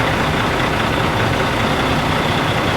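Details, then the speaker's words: International 9200i with a Cat C12 diesel at 600 rpm during a scanner cylinder cutout test. With cylinder 1 injector switched back on, the engine immediately smooths out to an even, steady clatter with no skipped beats. Normal idle. "And just right there, immediately, the engine smoothed out."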